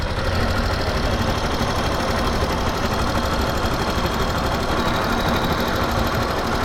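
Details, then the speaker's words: Yamaha Factor 2022 motorcycle, about 55,375 km, before valve adjustment; light fast ticking suspected to be loose valve clearance plus a rattle suspected to be cam chain, worse when revving. "tem um barulho de chacoalho que parece ser corrente de comando e tem um barulho um tiquezinho parece ser de válvula"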